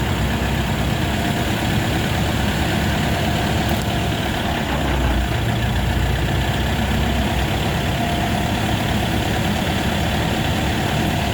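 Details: Steady engine drone in 5th gear with the driven wheel spinning and no gear whine from the rear differential, after replacing all differential bearings to cure a howl; now quiet.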